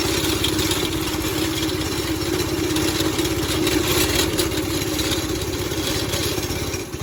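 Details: 5.5 hp Briggs & Stratton go-kart engine after throttle cable fix, warming up; quick steady single-cylinder putter holding even speed. Normal idle.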